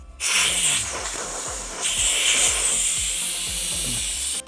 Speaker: Well, I guess a medium leak would look like that, where you see bubbles growing out. A fast leak, you can hear it hissing.